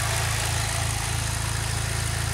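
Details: 2006 Saab 9-3 2.0T, run several minutes after valve cover gasket replacement, before oil change; steady, even idle with smooth regular low pulse, no ticks or knocks; gasket job judged a success, normal idle.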